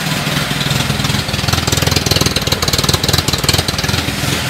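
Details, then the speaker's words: Carbureted car on second-generation LPG (gas) system during mixture adjustment: idle surges and stumbles in uneven jerks about four a second, never settling; mixture set too lean on gas, corrected with the brass idle screw. "да он уже очень нестабильно работать как покажу на выплат"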